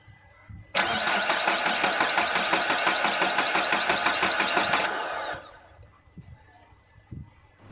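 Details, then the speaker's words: Renault Duster diesel, parked four days, cranks but won't start; even starter cranking at about three pulses a second for four seconds, never catches; high-pressure fuel pump, choked by dust, makes no pressure, with no fuel at the opened high-pressure line. "no, its not there's problem in fuel pump High pressure fuel pump is not making pressure"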